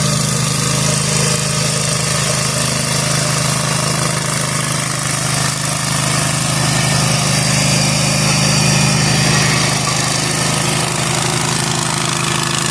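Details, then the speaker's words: Zero-turn lawn mower after repair with newly installed deck spindles and bearings, cutting overgrown grass: steady engine drone under load with even blade hiss, no bearing growl or squeal. The new spindles are very quiet and the deck is healthy. "These bearings on these new spindles are so quiet. Like I literally didn't even know if the blades k"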